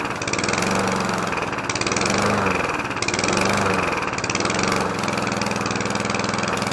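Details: Petrol lawn mower (Briggs & Stratton or Mountfield HP454 pair), not started for over a year, just started after fuelling: rough, busy single-cylinder chatter with a slow surge in speed every second or so, running again after storage.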